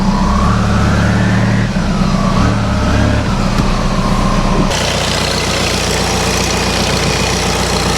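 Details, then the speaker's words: ALH TDI Jetta after camshaft and lifter replacement, just started, heard from inside: steady, even diesel idle with smooth low rumble and no top-end ticking, faint belt chirp from a likely worn serpentine belt; normal idle. "Well, it sounds better from inside already."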